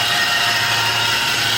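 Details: 2004 Toyota Tacoma SR5, 3.4 L V6 5VZ-FE, manual, 280,000 miles, idling in neutral under the hood. It makes a loud, steady, hissy whine with a faint hum, questioned as a growl versus power steering whine, traced to a failed accessory pulley.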